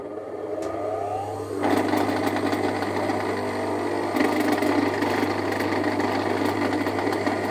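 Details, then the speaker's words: Electric motor (dinamo) running: loud droning hum with a rapid, uneven glotok rattling knock; caused by a loose fan/impeller bolt, not worn bearings; fix is tightening the bolt or packing the loose armature shaft support. "yang akan saya jelaskan di sini teman-teman itu kendor bagian baling-baling maka suaranya akan terdengar sangat berisik sekali dan mengerikan lagi ibaratnya gitu kan"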